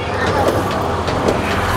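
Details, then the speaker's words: Samsung top-load washing machine on spin with UE error: loud spin roar with irregular heavy thumps every half second as the unbalanced drum swings and hits the balancing sensor; clothes not spinning properly, unbalanced load. "ನಾವು ಬಂದು ನೋಡಿದಾಗ ಈ ಥರ ಆಡ್ತಾ ಇತ್ತು machine. ಆಡಿದಾಗ ಏನಾಗುತ್ತೆ, ಆ balancing ಸೆನ್ಸಾರ್ಗೆ ಹೊಡ್ಕೊಂಡು ಎರರ್ ಬರ್ತಾಯಿತ್ತು."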